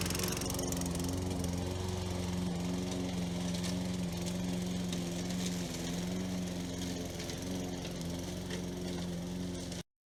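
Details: Toro Recycler mower model 20016, after repairs (coil, cleaned carburetor, belt, blade adapter, drive cable), cutting grass under load: firm, even drone holding speed, no sputter or hunting, then a clean stop. It runs strong.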